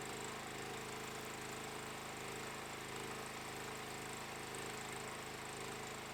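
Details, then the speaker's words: Stager FD10000 generator powering a ProWELD MMA 220Puls welder at 130 A from its 16 A socket: steady, even engine drone holding speed under welding load with no hunting, misses or knocks; welding uninterrupted, normal running. "इस सेटिंग से हम बिना किसी रुकावट के वेल्ड करने में सक्षम थे। हम एक अच्छी पैठ देखते हैं, और डिवाइस में लगभग लंबाई के साथ एक गहरा, निरंतर वेल्ड सीम बनाने की पर्याप्त शक्ति है।"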